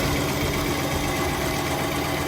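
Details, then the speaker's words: Car wash high-pressure pump running with its manifold removed, so nothing is being pumped: an even, steady hum with no clicking, ticking or knocking. The pump itself is fine, and the knock is suspected to be in the manifold parts. "See how smooth that is? And there's no clicking or ticking or knocking. That tells me the problem is not inside the pump itself, which is good."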